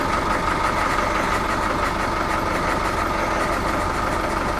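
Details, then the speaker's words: Volvo Penta KAD32 marine diesel in a 2001 Sealine S28, just fired up after impeller, primary fuel filter and oil/filter change, filters not fully primed: steady even clatter with smooth low chug, no misses, normal idle. "Well, what do you know? It's fired up."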